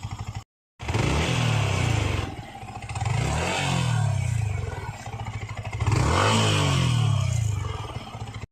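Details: Yamaha MT 15 motorcycle while riding: a coarse, buzzy rattle rides on the exhaust note as the revs swell; a vibration noise from an unclear source.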